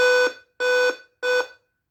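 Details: Dell Inspiron 5558 laptop at startup: three long identical beeps, evenly spaced about two-thirds of a second apart; replacing the CMOS battery solved the alarm. Dead CMOS battery warning beep.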